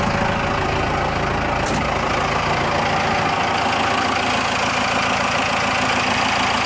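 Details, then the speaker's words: Cummins diesel-swapped Ford F150 idling after a valve adjustment: steady, even diesel clatter with a regular beat and no stray tapping or misses; sounds a lot better, normal healthy idle. "I think that sounds a lot better"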